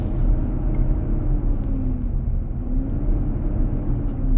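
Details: Fan clutch roar on a 2023 Nissan Armada with just over 4k miles, recorded in the cabin while driving at about 95F; a deep steady roar with a slightly wavering tone. The dealer confirmed the fan clutch, engaging to cool the engine. The noise happens almost daily, was gone at 45 mph, and came back on accelerating from a stop.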